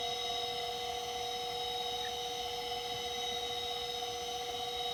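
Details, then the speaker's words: Macintosh PowerBook 140, reassembled after re-capping the LCD panel, powered on: steady, even high whine over a faint hum, with no clicking or scraping, as the hard drive spins up and boots; normal spin-up. "Alright, the hard drive spun up, and it is booting."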